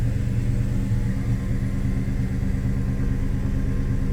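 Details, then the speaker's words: 2009 Dodge Challenger SRT-8 V8 after new evap purge valve install and code clear: even, deep rumble holding steady for several seconds with no misfire or stumble; normal idle, awaiting drive cycle. "It's on over here because we haven't started up the car, but let's go ahead and start it up."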